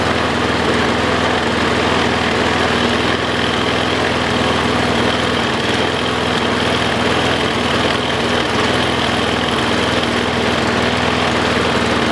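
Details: Troy-Bilt self-propelled push mower brought back from non-running after straightening a possibly pinched fuel line to the float bowl: even, steady drone with no misses, surges or knocks; the engine runs cleanly.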